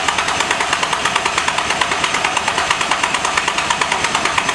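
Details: Nissan Z first start after engine swap (new flywheel, 20w50 oil, catch can, test pipes): quick, even pulse of about three beats a second, smooth with no knock or miss; normal running.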